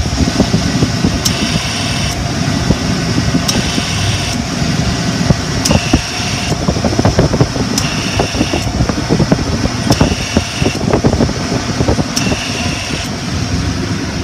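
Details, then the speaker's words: 1993 Ford F250 5.0 302 at idle, after AC clutch replacement and shimming: hissing chirp cutting in about every one to two seconds as the compressor clutch cycles too fast; owner suspects pressure drop, blocked line, seizing compressor or accumulator switch. "it engages and disengages like ever you later every second it's like on off on off"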